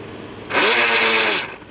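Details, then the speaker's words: BMW X5 4.4i E53, shifted briefly into gear after it lost drive in traffic: harsh metallic clatter lasting about a second, then quiet; chewed splines on the transfer case gear driving the front driveshaft, a known E53 failure. "Okay, turn it off. And basically that sound is what it sounds like when your transfer case goes."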